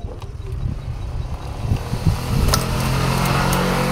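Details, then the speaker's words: 2017-2018 Honda Scoopy (third generation) scooter, hard to start and dying when throttled: stuttering ragged pops for a couple of seconds before catching and settling; weak spark from dirty magneto coil. "Agak sulit, Guys, hidupnya. Ini agak sulit tuh, ya. Hidupnya tuh mbet-mberebet dulu, habis itu baru hidup."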